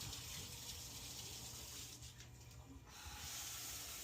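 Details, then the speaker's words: Shower after removing and refitting clogged shower head that had no pressure; strong, steady hiss of water spraying evenly, no sputtering or surging, good pressure and hot water; normal shower flow. "Beautiful. We got good pressure and hot water."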